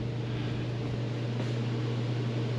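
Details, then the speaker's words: Mr. Heater Big Maxx 50,000 BTU garage heater after blower motor replacement: steady even hum with smooth airflow rush, no rattles or scraping, slight vibration on mounting struts; blower running normally again. "you can hear a little vibration on these struts but you definitely aren't going to hear that from down here"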